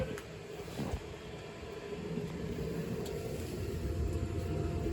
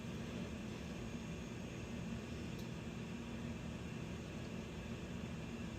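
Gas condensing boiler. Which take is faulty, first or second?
first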